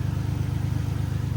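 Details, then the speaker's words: Infiniti G37, cap found missing. Low, lumpy idle with an uneven pulse and irregular dips: cylinder 4 misfire. "But man, yes, I'm misfiring cylinder 4."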